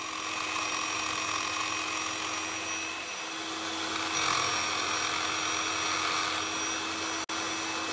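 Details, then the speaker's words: Normal motor at light load: a Nirey KE280 knife sharpener at stage 3 (lightest down pressure, less than the knife's weight) gives a steady, even high whine with constant pitch and hardly any drag. "This time the load on the motor is slight. You can hear the difference."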